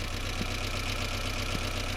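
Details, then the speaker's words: 1992 Toyota MR2 Turbo (SW20), 85,000 km, Japan auction car: rough, stumbly idle, possibly misfiring, with light tapping on top that sounds like valve noise; cause suspected, not confirmed. Ticking at idle. "The engine is a little bit stumbly. It looks like it's possibly misfiring. And then it also sounds like valves are making noise."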